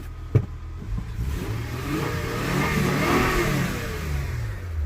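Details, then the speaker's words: 1998 Honda Accord 3.0 V6, warmed up, now starting after fuel pump and dual relay replacement: petrol engine swings up through the revs and settles back smoothly, even and free of knocks; healthy. "so plugged it in and now it's firing up so that's that's always a bonus I just owe 200 bucks this engine runs mint just purse"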